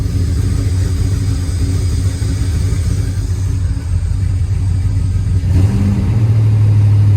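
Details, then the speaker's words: 1999 Dodge Ram 1500 5.2 (318) V8, 5-speed, with a long-undiagnosed misfire and a new check engine light: idle lumps and wavers even rougher, then revs lift. "Oh, it's even rougher. Great. Hear that thing?"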